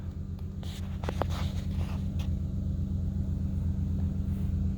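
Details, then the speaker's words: 2008 Ford Expedition 5.4 L V8 after replacing a faulty fuel injector (codes P0301 and P0201) that caused a rough idle: a low, steady idle rumble with an even beat, no misses or stumbles; it now idles smoothly. "still running smooth"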